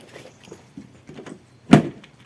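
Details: 2010 Ford Transit Mk7 LWB camper van, just after soldering two broken wires in the rear door hinge loom: faint clicking, then a single solid thunk as the doors lock with no horn beep; central locking now works normally.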